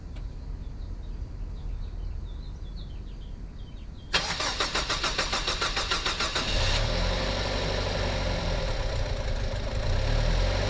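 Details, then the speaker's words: 2007 Mazda 3 2.3L after head gasket, timing and cylinder head replacement, first start without coolant: a few quiet seconds, then fast even cranking catches and settles into a smooth steady idle, no knocks or misses. "It is running. Gave it an oil change. We're running. We are fully up at temperature."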